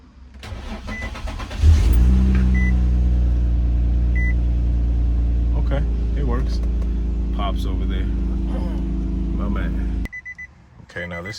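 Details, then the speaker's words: 2004 Infiniti G35X that had a loud belt noise from a loose main drive belt, starting after the tensioner was tightened. It cranks briefly, catches cleanly and settles to an even idle with no squeal or chirp: normal startup. "startup after I tighten the belts up. That sounds better."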